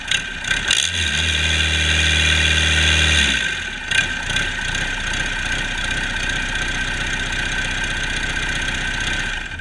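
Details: Cummins 4BT 3.9L turbocharged diesel, test run after customer repair: fires quickly, revs up with a smooth rising drone, then settles into a steady even idle with no knocks or misses; normal running.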